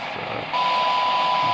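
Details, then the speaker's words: Restored late-1980s Ranger AR-3500 radio after recap and alignment, receiver sensitivity test: background hiss, then a clean tone near 1 kHz rises clearly out of the noise; weak signal still audible, normal sensitivity. "Heck, even it's getting on the ragged edge there at 0.1, but you can still hear it."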